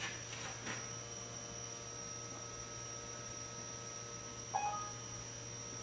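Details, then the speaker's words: Small CNC router running a test job at 1800 speed: steady low electrical hum with a faint buzz, caused by the controller board sitting loose on top of its metal box; electrical buzzing hum. "Esse barulhinho que está fazendo é que a placa está solta em cima da caixinha de metal."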